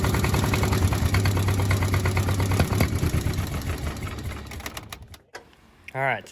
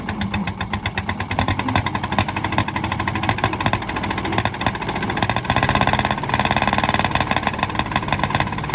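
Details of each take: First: 1951 Caterpillar D8 2U dozer, sat since 1990, main engine previously seized and freed with WD-40 and ATF, first attempt to start the big diesel: steady chugging crank, about three beats a second, no start. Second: 1951 D8 2U dozer that sat in a barn since about 1990, pulled out and running; its small pony starting motor makes a rapid, even popping beat, steady with a slight rise mid-clip, and runs healthy.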